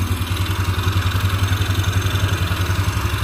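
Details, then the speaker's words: Yamaha Xeon carburettor scooter after repair, restarted: steady, even low putter at idle, regular unhurried pulses, no knocking or misses; normal healthy idle. "sudah kembali starter mesin eh dan motornya sudah hidup kembali"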